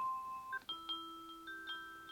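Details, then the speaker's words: Ubiquiti smart doorbell on an existing EU transformer system plays a short run of clean bell-like tones in a quiet room as it finishes booting after power is reconnected; normal startup chime. "Connecting power again. Let's see what happens. Ubiquiti. It's booting."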